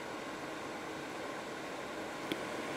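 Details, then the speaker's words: Expella EC inline exhaust fan turned up on a poor duct run at the same power as a prior fan: steady, even rush of air, smooth hiss, no rattle or whine; about 65 L/s, running fast and healthy. "With this fan, it can work on very low settings and still be quite efficient. and quite quiet. But as you crank it up, it does get louder, but the flow gets more."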